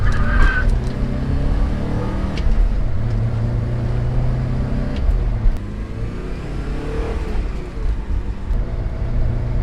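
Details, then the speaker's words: 1988 Porsche 944 on test drive after head gasket replacement and top-end reseal, compression to spec: strong steady pull rising and easing with road speed, no knocks or misses, more output, no leaks; healthy under load. "well after taking the car out everything seems to be running well and the engine feels like it has a lot more output than before and no leaks on the return home"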